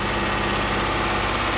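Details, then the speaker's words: 2009 Dodge Journey 3.5 L V6 revved lightly after new spark plugs and one replaced misfiring coil; smooth, even note that holds steady without stumbling or popping, no misfire. Normal engine rev. "Hey Jacob, give it a little gas. Rev it up a little bit. Rev it up, just rev it up and let it go."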